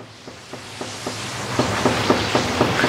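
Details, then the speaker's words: 240,000-mile Lexus LS460L, front end jacked up, wheel rocked side to side: light even clunks about four a second, side-to-side play but no up-and-down play, pointing to a worn inner tie rod end; other side is tight. "we do have some side to side Play No up and down play it stays the same as that side to side"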